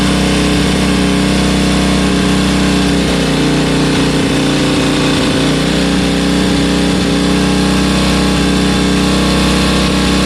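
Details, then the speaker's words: 1972 Bonneville twin, about 50 years old, idling after sitting about three weeks (it needs three or four minutes to warm up): a steady, even, smooth low drone with no misses or knocks; a normal idle. "that honestly that that's so smooth that's well I say smooth it's 50 years old but it's got power in all of its rev range"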